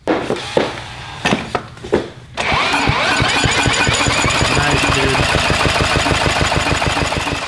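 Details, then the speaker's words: Tecumseh 6.5hp go-kart engine after carburetor replacement: a few rough pulls, then it races at fast steady high speed; throttle found stuck a quarter open inside the carburetor. "uh i think what we've got if we look inside the uh carburetor the throttle is stuck open oh yeah she's a quarter of the way open"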